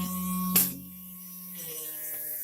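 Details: Toilet cistern refilling: a steady buzzing hum rings over the water from the fill valve as the tank fills.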